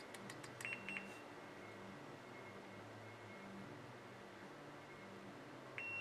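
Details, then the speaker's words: Multimeter in continuity mode probing relay coil pins on a CNI UR-EIO/C 8-relay output board: two short high beeps, then a steady tone over a quiet room, signalling continuity. "meter a beat bowed y'all can hear beep when I have continuity so here's one right here"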